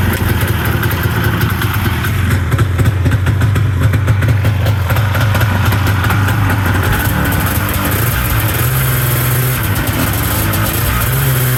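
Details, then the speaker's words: Idle of a 1994 Yamaha V-Max 500 two-stroke snowmobile with non-stock exhaust, after resealing the exhaust leaks and curing about 15 hours: even, steady burble with no puffing or ticking, one poof at startup; normal idle, sounds better than before. "Oh, buddy. I heard a poof when I started. It might have blew a little bit of out, but definitely sounds better than it did, I think."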